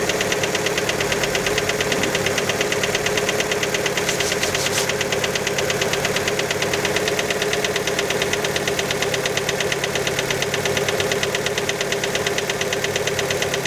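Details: Fiat Panda engine after a cold start: a sharp, steady metallic knock, about twice a second, above the cold idle note. Many suspect the piston skirt, but the cause is unconfirmed.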